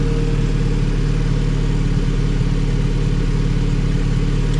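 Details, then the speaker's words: Civic Si with B18C1 swap, stock motor and Precision turbo, warming up at 12.5 air-fuel before dyno tuning: rock-steady, even idle, much smoother than before with barely any vibration; healthy warm-up idle. "way smoother like the motor doesn't even vibrate it's so smooth"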